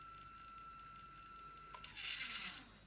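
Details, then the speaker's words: Sky-Watcher HEQ5 Pro mount with stock gears, before the Rowan belt modification, slewing in RA at max rate 9. A steady high motor whine, then a brief harsh gritty grind on stop and start; not a big issue if tracking is good. "you get that nasty grind when it stops and starts. I mean, to be honest, it's not a big issue as long as it's tracking well and actually working well in general."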